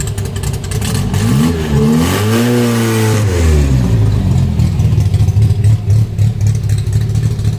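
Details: 1963 Austin Healey Sprite 1098 with race cam and straight headers, first drive after engine modifications, tune unfinished: engine note rises under throttle then sags and bogs unevenly, wanting to stall when given a little gas; stumble on throttle tip-in.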